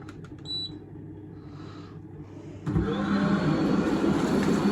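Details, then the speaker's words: Grand Rapids Canadian Spa hot tub, freshly filled and chemicals added, jets turned on to stir and balance water: quiet, then the pump kicks in with a loud steady hum and rushing water, no rattle or grind; running normally. "just to give it a bit of a uh like stir around basically um to make sure it's all sort of evenly balanced so just gonna do that for a couple of minutes now and this is how how loud it sounds so"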